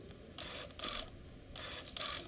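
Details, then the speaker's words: Canon EF 50mm f/1.4 lens, in use for over a year and with full-time manual focus, making autofocus motor noise: short bursts of high, scratchy whirring about a third of a second each as it hunts focus; owner unsure why it sounds so odd in videos. "the auto focus noise and i'm not sure why it's so weird in uh videos"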